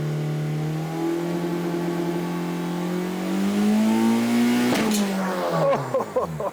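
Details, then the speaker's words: 1.9 TDI PD diesel in a SEAT Ibiza on a durability test, revs pushed toward the limiter near 7000 rpm: steady climb then sharp bang and clatter as the note collapses; dual mass flywheel burst, shrapnel on the floor, starter motor hanging off. "I think that might be compressor. No. I think that was a flywheel. That's flywheel. Flywheel's just come out there."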